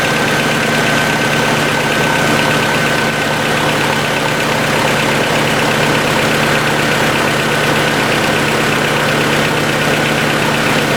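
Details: 1990 Honda CRX DX after ignition coil replacement, aftermarket distributor: steady idle with faint quick ticking over the engine hum; owner suspects valves need adjusting.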